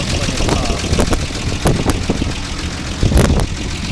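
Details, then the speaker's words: 1948 Ford F1 truck, hood open: low steady idle with even beat apart from handling thumps; runs like a top, radiator fine, runs long without overheating. "radiator works fine vehicle can run for a long time without heating obviously got some heat run but as you can hear this thing runs like a top it starts right up every spring"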